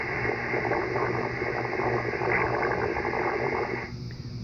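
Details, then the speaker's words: Icom IC-7300 receiver on an end-fed dipole: harsh hiss with fast irregular buzzing pulse about four per second, radiating across all bands, easing near the end; persists on battery with house power off, appeared after neighbors moved in; source unknown. "it radiates through all the bands for t being the absolute worst change it here"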